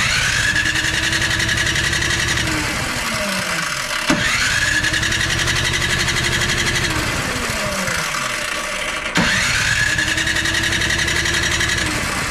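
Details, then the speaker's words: MTD Pro 21-inch electric-start snowblower with a new carburetor; it ran about two minutes, then died. Repeated starter cranking bursts give a brief weak catch that dies each time. No spark from an intermittent ignition fault points to a failed ignition coil. "every now and again if I'm trying to start it it'll it'll do something and act like it wants to start but other than that nothing"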